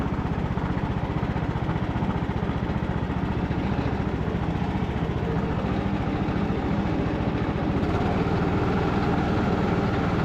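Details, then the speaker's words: Craftsman LT2000 riding mower revived after sitting for years, brakes just checked, driven in cold rain including reversing uphill: steady engine beat about four pulses a second under load, no whine, grinding or slipping from the hydrostatic drive; good speed, normal. "Still got pretty good speed on the transmission. Reverse is fast. Sweet. I don't hear anything crazy going on with the drive system, and it seems like it's going pretty good speed there."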